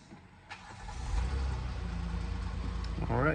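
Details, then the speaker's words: 2016 Kia Sorento 3.3 V6 after crankshaft position sensor replacement for P0335 and hard starting: short crank, catches within half a second, steady even idle without stumbling; normal start, no fault code. "Alright, started right up. So before it sounded like it was out of gasoline, but you keep trying it 2-3 times, eventually starts up."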